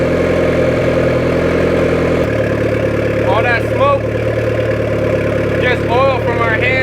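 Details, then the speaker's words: 1994 Honda Civic EX with rebuilt engine, first start after fuel pump priming and fuel-leak fixes, jump-start method: engine catches and settles into even idle, no knocks or misses, handling oils burning off; normal idle. "what you call a successful startup."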